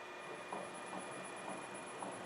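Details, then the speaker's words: LT230 transfer case on a test bench, driven by a speed controller at its lowest speed in diff lock: a soft, regular thump about twice a second over a faint hum, like a missing gear tooth; loading the output barely changes it; cause unknown. "Can you hear that? It's like there's a tooth missing."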